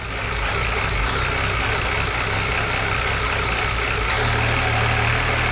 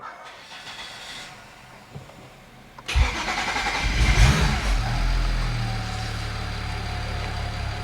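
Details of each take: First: BMW E92 335i with swapped E90 engine (valves lapped, head refitted), restart after low fuel pressure, air in lines suspected: loud, steady, even idle with smooth low rumble, no knocking; running fine, normal idle. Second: BMW E92 335i with swapped E90 engine (valves lapped, head refitted), first start: cranks and catches, then runs unevenly about eight seconds with wavering, lumpy idle; rough running from low high-pressure fuel pressure, under about 750 psi.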